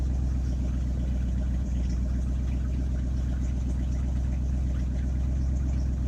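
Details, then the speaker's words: 1967 Ford F-350 flatbed truck, 302 V8, just started after sitting a couple of months: deep, steady, even idle burble with no knocks or misses; normal idle. "There she is. She starts and runs. I'll let you guys listen to her for a minute here."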